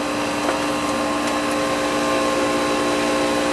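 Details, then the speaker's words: Goodman AC condenser whose compressor wasn't starting; after replacing bad compressor-side capacitor, compressor starts with thermostat turned down: steady even hum with clear tone and fan whoosh, compressor and fan both running smoothly: normal running. "Compressor started that time. So it should be, I pushed the thermostat all the way down. Yeah, it's working."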